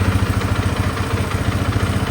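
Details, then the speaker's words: Single-cylinder motorcycle, just given an oil and filter change, started to check it: steady low, even thumping at idle with no knocks or rattles, settles smoothly; "Bestia! All good!", normal idle. "Bestia! All good!"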